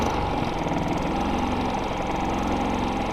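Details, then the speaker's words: Harbor Freight quiet-run 3500-watt generator in economy throttle mode with a shop light plugged in as load. A soft, steady low hum with an even beat at reduced speed, quieter than before; running smoothly. "That is even quieter. I mean, honestly, you wouldn't even really know this is on. It's just kind of really a low hum."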